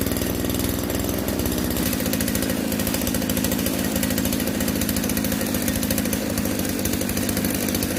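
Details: RBC411 two-stroke brush cutter whose shaft shakes violently, after a loud noise reported near the clutch housing: steady buzz with a heavy rapid shudder at speed; bent blade tips are unbalancing the shaft.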